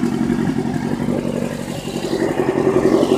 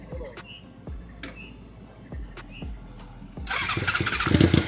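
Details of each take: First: 1991 Suzuki Katana 600, about 50,000-55,000 miles, aftermarket gauges; even four-cylinder idle with a slight rise in revs, no misfire or stumble; running healthy. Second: Motorcycle after repair; several slow cranking bursts without catching, then fires and runs rough and uneven, hunting to settle; hard starting, still needs fine tuning.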